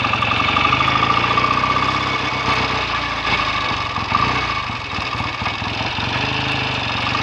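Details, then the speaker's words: BSA A65 twin after a 6-mile test run, following clutch spring preload increase for slip and draining/cleaning the carbs and plugs to cure a misfire. Even, steady idle with regular firing pulses and no misses or knocks; exhaust clean, normal. "Exhaust is nice and clean now, settling down nicely."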